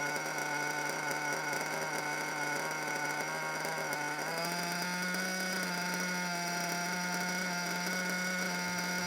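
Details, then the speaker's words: Small RC car nitro engine: the idle buzz keeps wandering, climbing, holding, then sinking for no apparent reason despite the engine being in good condition. "yeah so an idol that just keeps wandering for no apparent reason"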